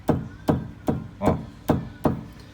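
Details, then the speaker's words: 2017 Nissan Kicks with suspension/steering noise: six firm strikes on the steering rack ring hollow and resonant instead of dry and solid, as if the rack is loose; play in the steering rack, a chronic fault on early Kicks. "já faz esse barulho ecoado, sabe, essa ressonância, um barulho mais, não um barulho seco, né, de quando tá tudo firmezinho. É como se a caixa estivesse solta, digamos que como se a caixa de direção estivesse frouxa."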